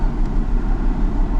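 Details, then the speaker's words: 2004 Ford Mustang, rough running with check engine light after ball joint, front end and alignment work; lumpy uneven idle with dull stumble, one cylinder dead; mechanic suspects a bad coil; found fouled, closed-gap spark plug causing misfire. "She says, now it's running rough and my check engine light came on. It never did that before."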